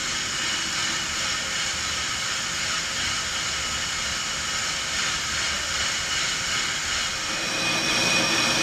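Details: On-car brake lathe cutting a brake rotor with anti-chatter pads fitted: a click as the clutch engages, then a steady hissy metallic cutting sound with an even rhythm over the drive hum; normal, smooth rotor cutting.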